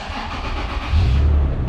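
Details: 2007 Toyota FJ Cruiser, 4.0L 1GR-FE, 121,957 miles, jump-started with booster box after weak battery; quick crank, then catches and settles into a deep even idle, no knocks or misses; healthy start.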